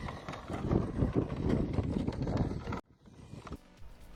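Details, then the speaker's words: Brand-new RTR Element RC Enduro crawler driven at decent speed over rough ground: smooth, quiet drivetrain under loose, irregular plastic rattling as the body shell bounces on its mounts; body panel rattle. "Okay, so what you're hearing there is body bounce. I guess it's just, as soon as the truck's moving at a relatively decent speed over bumpy ground, which is what we all drive on, all you hear is rattle, rattle, rattle everywhere you go."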